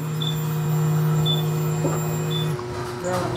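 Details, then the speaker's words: Non-starting motorcycle, fuel pump at the rear heard at key-on: steady low electric hum for about two and a half seconds, then stops; pump priming normally, judged good, so spark is checked next. "Okay, gumagana yung kanyang fuel pump mga katropa. Ang ibig sabihin niyan ay good yung kanyang fuel pump at walang problema."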